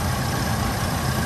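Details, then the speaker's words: 1985 Oldsmobile Cutlass Supreme idling with A/C compressor on after new alternator and compressor belts: smooth, even, no belt flapping; earlier noise was the slack old belt, not the compressor bearings. "Yeah, it was making a noise when I cut that compressor on from that belt. Yeah. It was flapping and stuff. Now it sounds good with the compressor on."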